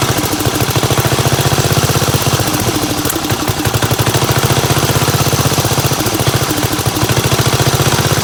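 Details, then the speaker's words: 1975 Gravely 816S tractor, running only while the fuel valve is opened and closed: single-cylinder thump at fast idle that pulses and wavers; carburetor pouring gas out the back, float apparently stuck, flooding. "Yeah, it's just puking gas out the back like the float's stuck or something."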